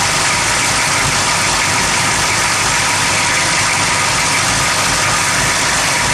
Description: rough idle at motor